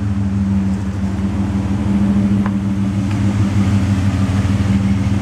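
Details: Ford Escape XLT 3.0L idling in park, with a new remanufactured MAF and Bosch O2 sensor refitted and the battery disconnected: steady low exhaust drone with an uneven, lumpy pulse; rough idle, owner checking whether a ticking persists.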